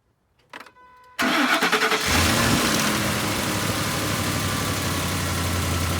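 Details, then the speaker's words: Ford 5.4 Triton 3-valve V8 (2004–07) that rattled like a diesel, after VCT solenoid replacement: cranks briefly, settles into even, steady idle with no rattle; sounds way better, normal running. "Sounds way better."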